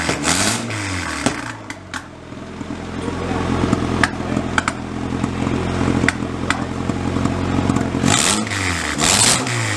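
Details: Freshly built turbo Honda H22 on first start, no coolant in, O2 sensor not fitted: engine catches and revs up and down unevenly with sharp pops scattered through; owner suspects it's running a little rich without the O2 sensor.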